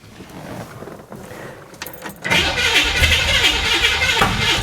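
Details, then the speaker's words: Flooded 1966 Chevy Impala after entire fuel system replaced, start attempt: starter cranks at a steady beat, then a sharp pop as it backfires out of the exhaust; no fuel leaks seen, cause not confirmed. "all right so we're good let's try it again that time it backfired out of the exhaust"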